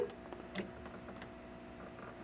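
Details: 1993 Williams/Bally Star Trek Next Gen WPC pinball in switch test, crossing switch wires: quiet stretch then one short sharp beep, the normal single beep for a good switch line, unlike the shorted white-green row.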